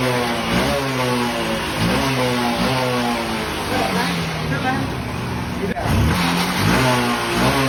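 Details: Honda Unicorn 150 after replacing old diaphragm carburettor with new Spaco carburettor: crisp throttle blips rising and falling cleanly, no stumbling or missing; missing and misfire problem fixed, engine healthy.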